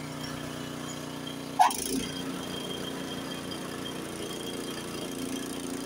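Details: Honda HS80 snowblower engine with fast throttle set to spec 3600 rpm, first gear, full throttle throwing snow under load: steady even drone with no bogging, unlike the identical unit set at 3000 rpm.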